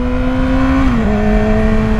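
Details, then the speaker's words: Yamaha R6 warming up after new spark plugs and air filter replacement: clean, steady high engine note that holds then eases down smoothly, no misfire or rattle; owner says it revs a lot faster, normal healthy revving. "oh oh damn I could already tell the bike revs a lot faster combination of smart plugs in the air filter definitely making a difference"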